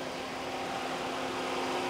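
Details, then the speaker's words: Chevrolet Tahoe with electric fan conversion replacing clutch fan, AC on, temperature held at or under 210 after 0–50 runs: steady even air rush with faint hum, no rattle; fans running normally at full speed. "sound level you know you can kind of hear them ac is on right now they're definitely on full speed"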